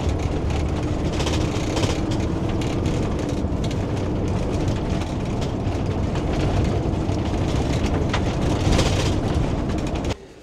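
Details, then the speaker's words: Mobilvetta motorhome at 1,512 miles driven on a short country road; constant irregular clattering and ticking over road rumble from several loose items, loudest the unsecured fly screen; finding: body rattle. "now you might might be wondering what is it that's causing that noise there's quite a bit of it well I need to to answer that I need to figure out which noise you on about because there's quite a few of them"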